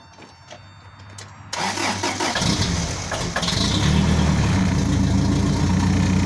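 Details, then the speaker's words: 1985 Toyota Sunrader motorhome, 22RE engine, first start after fitting LCE street header kit, no catalytic converters fitted; cranks and catches after about 1.5 seconds, then a loud, raspy, deep idle from the open headers. "my buddy leo is about to have me film me starting it without the cash"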